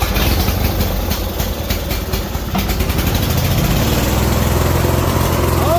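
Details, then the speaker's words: 1990s Murray riding mower sat about six to seven years, running on fresh gas with choke half out after cleaning work that proved unneeded; steady fast even putter with no stumbles or surging; normal running. "yeah oh yeah that's what you like to hear it runs good too it sounds really good"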